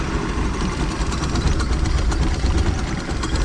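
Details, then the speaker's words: 1989 Raven 195 boat inboard engine, warmed up, after rotted motor mount was rebuilt: steady even low idle rumble with no knocks, misses or surges; mount holds well. "but that's a good motor mount test look at that this rubber is a little shot but I mean the main structure that we did is not doing anything look at that that's beautiful that's what we like to see"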